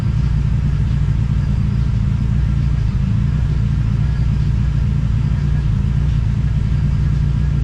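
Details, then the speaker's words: TVR Cerbera: loud, lumpy low rumble with no clean pickup. The owner considers disconnecting one of the throttle position sensors. "okay well I guess you can see that's not going that great um starting to wonder if I should disconnect one of the throttle throttle position sensors"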